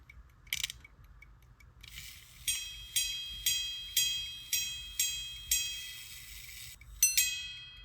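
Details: Circa-1820 verge fusee quarter-repeater pocket watch after repeater adjustment, having earlier sounded horrible with gongs possibly touching the case: clear bright chimes about half a second apart ringing cleanly; normal repeater chime.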